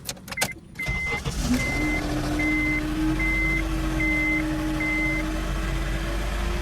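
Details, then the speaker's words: 2002–2006 Honda CR-V sat for years, started after a week: over idle with door chimes, a steady mid-pitched power steering pump whine with little assist; caused by failed reservoir, fluid already changed. "so it's like I'm getting just a little tiny assist um and you can hear the pump"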